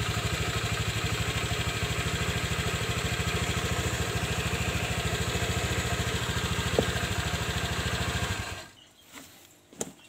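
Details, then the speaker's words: Honda Vario 125 injection scooter on the stand, sluggish on mountain roads: steady, even idle with no grinding from the belt side; the clutch-housing noise appears only when riding fast or loaded; dirty CVT. "tidak menimbulkan suara sedangkan kalau buat lari kencang ataupun buat muatan Suaranya sangat keras sekali"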